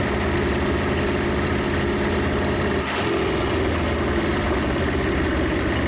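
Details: 1956 Studebaker Golden Hawk V8 first start after a long sleep: loud, steady, even low idle rumble on all cylinders, no knocks or clatter. Smoke is PB Blaster on the exhaust manifolds. Owner thinks it needs running-in and plans compression tests and possibly a valve check.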